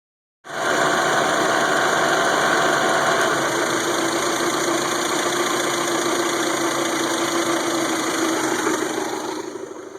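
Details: 1992 Toyota Camry 4-cylinder with rebuilt engine, 200 psi compression: runs steady, then misfires more and more until it stalls; harder to start when hot.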